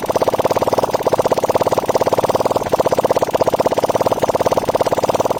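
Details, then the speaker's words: Hyosung GT250 V-twin being built into a trike, first run after the build: fast, even, light ticking over a steady idle, seeming to come from the front cylinder; owner suspects valve clearance needs adjusting. "Okay, it sounds like my front cylinder. I might need to adjust my valves. I hear there is a ticking sound in there."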